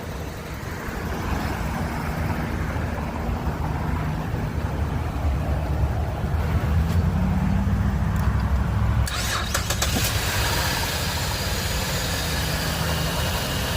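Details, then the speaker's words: 2011 Chevrolet Impala with a no-start from a corroded, dirty battery connection. After the terminal was cleaned, it was jump-started from a newer car and started right up. It settles into a smooth, steady idle with no misses or knocks while recharging the battery. "Start it right up. Let it run for a little bit. Recharge this battery."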